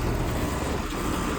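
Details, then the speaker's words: 2022 Rheem 1.5-ton upstairs heat pump with Emerson scroll compressor, startup: steady fan rush and compressor hum, no rattles, knocks or squeals; suction line getting cold, working well. "It's from 2022 and it's a 1 and 1/2 ton. And suction line is getting cold. It's working really good."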